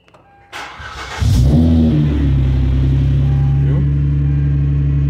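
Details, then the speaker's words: Hyundai Azera 2007/2008 3.3 with a faulty CVVT pulley that rattles for 5–7 seconds on cold start, restarted warm right after: a brief crank, then a clean catch into a smooth, even idle with no rattle. Normal warm start. "partida lisinha e fica assim um bom tempo posso ligar o carro mais 100 vezes durante o dia que não vai acontecer nada"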